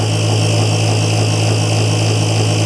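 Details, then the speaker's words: BoxMotor pulse motor at about 120 V on three coils after bad-chip replacement, pushing the wheel well: steady even low hum with soft regular pulsing, no rattles or scraping; running normally. "all right 120 three coils is8 [Music] amps and it's pushing the wheel pretty good"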